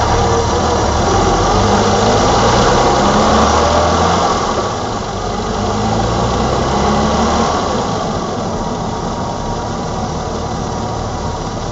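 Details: 1987 BMW E28 520i, M20 2.0 L six-cylinder, 129 PS, nearly 400,000 km, running excellently again: steady, even six-cylinder idle with a smooth unbroken beat and no knocks or misses; normal idle.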